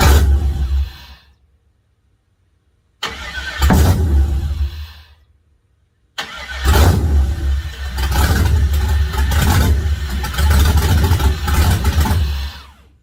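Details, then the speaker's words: Ford Model A LS V8 swap, first start after correcting a coil pack harness that was plugged in flipped backwards and caused a backfire: engine catches, rumbles, dies, refires and fades; runs only while key is held in start, won't idle on its own. "It ran when I had the starter moving, so it's firing, but for some reason it's not idling unless I'm in the start position."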